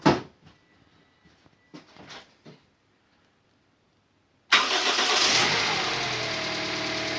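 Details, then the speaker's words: Toyota Vitz 2SZ engine previously knocking, first start after repair with fresh coolant and oil, belts and pulleys not yet fitted: short crank, then soft even idle with no knock; normal start and idle. "залил тосол залил масло ну работает мягко работает хорошо"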